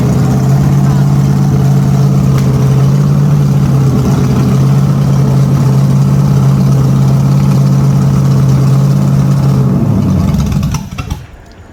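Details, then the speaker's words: Holden HQ sedan's new 010 350 V8 run on the engine stand: deep, steady, meaty rumble that winds down cleanly at shutdown; carby runs well, healthy smooth-running engine. "Wow, that's bloody perfect. Very happy with that. Very happy. The carby even sounds like it runs well, even though we'll clean it up a little bit on the outside."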